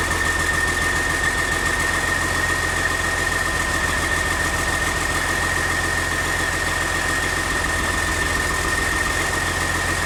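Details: Caterpillar CAT C13 diesel started after repair for destroyed camshaft, lifters and general wear: steady, even idle with a smooth low rumble and no knocks or misses, running healthy.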